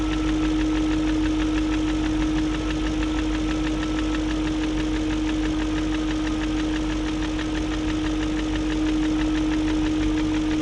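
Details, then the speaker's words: 2001 BMW E38 740i Sport steady idle: light, fairly regular ticking about three per second, remaining after new timing chain, guides, tensioner and VANOS distributor gaskets; no codes; owner suspects VANOS unit, cause unclear. "i don't know i guess it's just going to have a tick unless the vanoss unit's gone"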